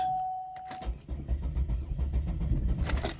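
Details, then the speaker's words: GM 3800 V6, low-mileage car, after coolant ingress into cylinders, front cylinders blown out, pedal held to floor: after a door chime the starter churns with low, even pulses, nearly catches but never fires; plugs found wet, fuel-flooded. "ooh almost went [Applause] almost turned over did you hear that it's trying oh so close maybe I could still just clear it out some"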